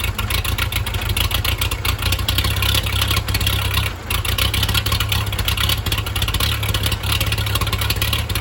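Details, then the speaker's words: 1963 Case 310F bulldozer diesel on a cold start with no starting fluid and no grid heater, in neutral; a little smoke at first, then none. It settles into a steady, even clatter over a solid low drone with no misses or knocks: normal idle. "Little smokey. He's coming alive. What a treat. She runs good. Yeah, no smoke."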